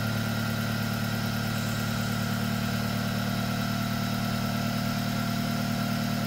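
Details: 1997 Honda Accord after replacing burnt exhaust flange gasket at headers: steady, smooth idle with even low hum, no ticking, puffing or rasp; exhaust leak fixed, engine healthy.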